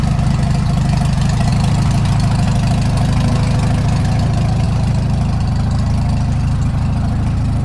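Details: Farmall Super M tractor engine, before the rebuild: steady low idle with a dull knock of about three a second over the engine beat; source not yet pinned down.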